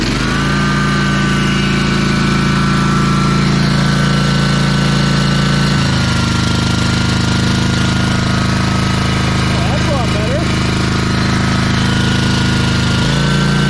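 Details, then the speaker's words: Ferris 52-inch commercial walk-behind hydro mower, twin-cylinder engine, after carb cleaning and bowl O-ring replacement (bad O-ring was blocking a fuel jet): steady, even drone through load shifts, no stumbling or surging; now running smoothly. "let's see if we can make this work and the carbs back on let's test this [Music] out that sounds pretty good"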